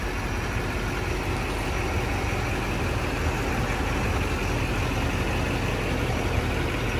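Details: 2006 Chevrolet Silverado LT 2500HD 4x4, LBZ 6.6 Duramax diesel, 91,301 miles, fully serviced: deep, steady diesel idle with even low rumble, no knocking or rattle; healthy idle.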